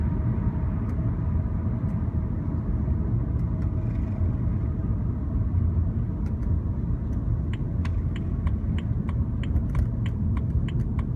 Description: Ticking noise from driver side while driving -BMW 328i 2007